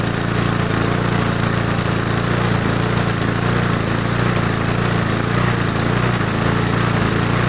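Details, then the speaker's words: Neglected roadside Briggs & Stratton push mower with cross-threaded spark plug, after priming fuel into the carburetor: small single-cylinder runs smooth and steady with no misses or surging; normal running. "as you can see it didn't take much just priming it like that what it does it it gives the engine enough fuel to run for a few seconds and suck everything under the emulsion tube and up through the carburetor and this will run fine now"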